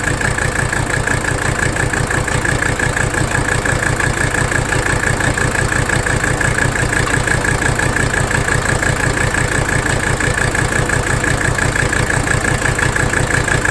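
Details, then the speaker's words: 1985 Mercedes 300D diesel idling in drive under AC load while the rack damper bolt is adjusted; clatter at about two beats a second with an uneven, shaking rhythm that turns smoother; rough idle. "You see that? Watch. You hear it in the engine too. Really rough. Smoother."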